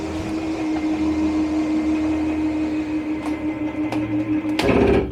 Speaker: Now this is a rack and pinion slide, and so once it gets out to its fullest extent, you're going to hear a unique kind of clicking. As soon as you hear that, you want to let off of the button. Very nice slide.